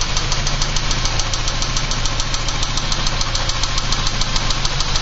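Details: 1986 Porsche 944 Turbo idling with a steady sharp tick about three to four times a second over a low rumble; owner unsure whether lifter noise or rod knock.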